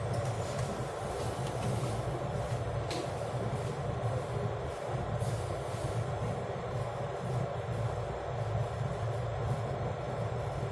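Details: Water boiler or kettle heating after DIY repair where only the fuse was at fault; steady low rumble with light hiss, even throughout, no clicking or cutting out; normal heating.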